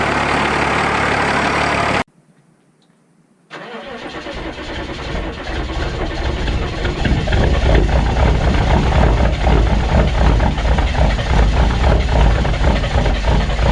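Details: Diesel truck with naturally aspirated three-cylinder diesel, owner believes 201, cold-temperature start: after a short pause catches and builds to loud steady rattling idle; normal diesel cold-start clatter.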